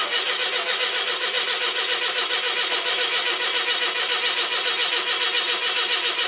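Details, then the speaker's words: 42-year-old car with old mechanical fuel pump, cold start after months: strong, even cranking about two turns a second that never catches; fuel not reaching carb, weak pump suspected. "Maybe the fuel pump might be weak too. It's an old mechanical one."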